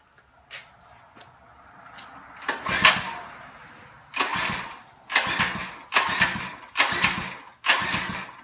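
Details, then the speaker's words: Monster Moto minibike, switch on, fuel on, choke on: six sharp recoil pulls, each a short whirr dying away without firing; won't start, cause unknown. "that's not working and I move the choke to run see if maybe it's getting too much fuel and it's still not started"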